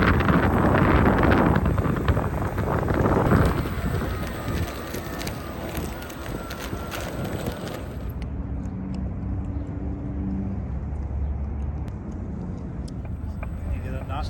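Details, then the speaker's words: Veteran Abrams electric unicycle riding: wind rush fades into a fairly even knock, about four per second, heard mostly at low speed and when pushing against the shell; source not yet found. "knocking sound that you're hearing started happening i would say two miles into our trip i heard it but i was going kind of fast maybe 30 35 and it wasn't really there until we stopped"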